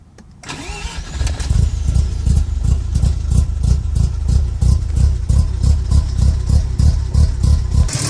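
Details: Car with a rough idle: after a quick crank the engine catches and settles into a lumpy idle, thumping unevenly about three times a second.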